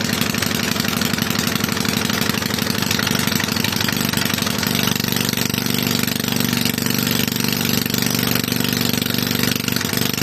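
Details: Toro mower model 18805 single-cylinder engine, reassembled with cleaned, repaired carburetor and new parts after sitting for years: rapid putter, a little uneven at first, then steadies into a consistent run; engine running properly.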